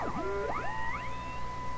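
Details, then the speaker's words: Canadian General Electric K60 radio, IF set to 175 kHz: whistles sweep in pitch while tuning through a sweep signal; a false peak near 160 kHz, then heterodyne noise just above it. "False peak, right there. Then just above it, heterodyne noise."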